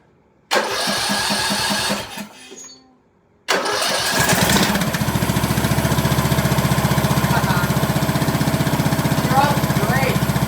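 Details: 2003 Craftsman LT2000, 18.5 hp Briggs & Stratton Intech, first start after adding gas and the plug: cranks, catches, stops once, then settles to a steady, even beat; runs well, needs an air filter and oil change.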